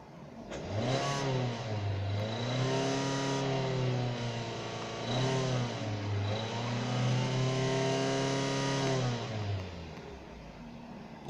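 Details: 2008 Hyundai Tucson 2.0 petrol, hot engine revved repeatedly: a faint metallic ringing knock near the top of each rev around 3,500–3,800 rpm; owner asks for the source, cause unconfirmed.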